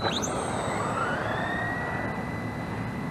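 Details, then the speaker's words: RC drag truck, new shorter premount tires, 21-tooth pinion geared taller, heavy 259 g 5200 battery: quick rising whee at launch then steady motor whine; slipper clutch slips briefly under the heavier battery. "You can hear the slipper. You hear that slipper when I first started. It went whee like that. The slipper slipped a little bit with this one because yeah, the battery weighs 259 grams or 258."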